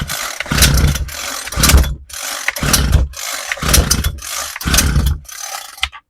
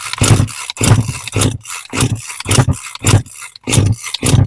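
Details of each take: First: Homelite 26cc UT26CSEMC string trimmer that wouldn't start after sitting, now with fresh fuel, a cleaned air filter and replaced fuel lines and parts. Pull-starts on full choke, putts, is moved to half choke and catches into short buzzy runs. Normal starting. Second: Homelite 26cc UT26CSEMC two-stroke string trimmer that sat unused, fresh fuel, half choke: repeated rough pulls each catch briefly with a sputter and die; fuel starvation from the carburetor.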